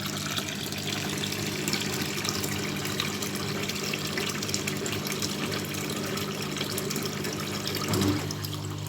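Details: Scrap washing machine during rinse/drain cycle, after lime scale was cleared: steady low drone over running water, swelling near the end; owner assumes it is the pump, not confirmed.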